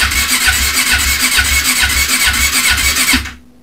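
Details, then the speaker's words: 1996 Honda CB500, unrun for over six years, cranked on the starter before adding fuel: rasping, lopsided bursts, about seven in three seconds, no firing; compression has a gallop to it, cause unknown. "over St works did you hear that compression then got a bit of a Gallop to it yeah"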